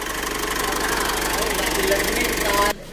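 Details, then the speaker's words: Mitsubishi Triton HDX common-rail diesel after injector installation, which fixed hard morning starting, thick smoke and weak power: even, steady idle clatter, no misses or roughness, smoke gone; normal idle. "cek endingnya menyala ninting kita riset kita learning udah normal lagi suaranya sudah enak lagi nggak kasar lagi"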